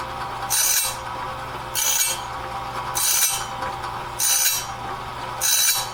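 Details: Clarke heavy-duty sawmill blade sharpener at medium speed, sharpening a 2-inch-wide, 223-inch bandsaw blade; rasping grind bursts about every 1.2 seconds, one tooth at a time at a steady feed, working normally and leaving the blade fully sharpened.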